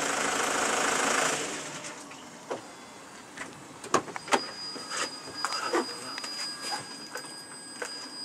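Over a quiet engine, sharp irregular pops and cracks from the exhaust come every second or so; these are backfires.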